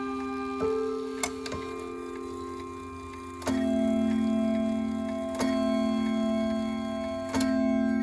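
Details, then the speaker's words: Ridgeway wall clock after overhaul and cleaning: steady ticks with clean, sustained chime strikes, hammers free; earlier fault was oil or grease on the hammer post, now normal ticking and chiming. "Doesn't that sound so much better? I think so. So, the reason this clock functioned the way it did was just because, for whatever reason, somebody tried to put some kind of oil or grease on the post which the hammers sit on, and they fall back and fall forward on."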